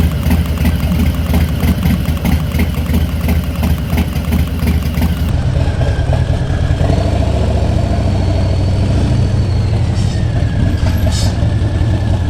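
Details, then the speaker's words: 2019 Harley-Davidson Softail Street Bob V-twin at idle, just picked up after a Screamin' Eagle torque cam install, with a quick, even, loud sewing-machine tapping from the valvetrain over the low rumble; cause not confirmed. "I noticed that there's a little more engine noise coming from the valvetrain sounds like a loud tapping like a sewing machine I don't know if you can hear that loud knocking flush ticking noise"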